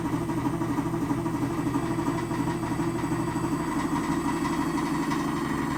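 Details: 2006 GE Adora front-load washer in spin cycle: deep steady rumble with grinding edge, pulsing about three times a second; bad spider, failing drum drive pulley and bearing.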